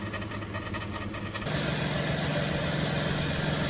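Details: Chrysler/Dodge 3.3 L V6 idling before repair: light fast ticking knock from a dry belt tensioner pulley bearing; belt dressing on the AC pulley briefly quieted it, fixed at the tensioner pulley.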